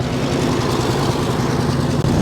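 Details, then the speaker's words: 1964 Mercury Montclair, abandoned 28 years, just started with no coolant in it: steady, even low rumble with no misses or knocks, idling on all cylinders with oil pressure up and alternator charging. "beautiful beautiful it's got oil pressure the pressure gaug is up and the the alterator is charging the m gaug is charging sounds like it's firing on all a"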